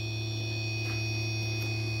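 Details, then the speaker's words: MX60 charge controller switched from 24V to 48V, two 24V panels in series; steady high-pitched whine with low hum at 56V array, 53V battery, gone at 58-61V; unclear if alarm, cause unknown. "array voltage is 56 volts battery voltage is 53 that's probably the source of the alarm i don't know why it dropped is 56 like that it was at 60 or 61 volts it seemed to be happy at that voltage but i don't know what to make of that sound"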